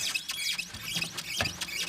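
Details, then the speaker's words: Rapid high-pitched rubbery creaking, four or five squeaks a second, from the chassis in winter; worn sway bar bushings, fixed by replacing the split sway bar bushing rather than shocks or lower arms. "吱嘎吱嘎的异响声，听起来非常的闹心。"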